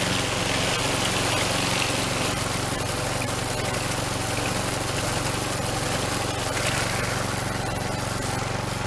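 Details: Troy Bilt string trimmer two-stroke after fixing an air leak at a warped plastic housing: starts and holds a steady, even buzz with no stumbles or surges. It was flooded but needed no ether. Repair successful.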